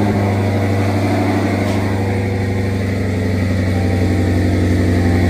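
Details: Turbo Redeye after replacing two burnt-out O2 sensors and clearing codes, sat 2.5–3 weeks in hot weather: after a cold start it settles into an even, steady idle with a firm low drone and no miss. The P0300 code is still present. Normal idle.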